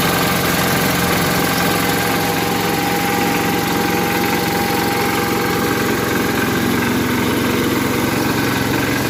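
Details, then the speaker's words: 1981 Case 210 garden tractor, first cold start of the season after winter storage, on choke, not in gear: catches and settles into a steady, even idle with a deep low thump, no misses or knocks; running healthy. "We put the choke up. Whoa! There she goes."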